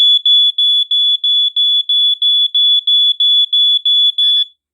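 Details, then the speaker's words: Mid-late 1990s American Sensors (Dicon) SA388 photoelectric smoke detector with piezo horn, test button held: about thirteen piercing high-pitched beeps, nearly three a second, in the slow 5/6 pattern. Alarm sounds normally. "there we go okay so it sounds in a very slow five six pulse um i think it almost sounds like the exact same pulse pattern as like the black and decker actually it's like almost the same but it's very high pitched"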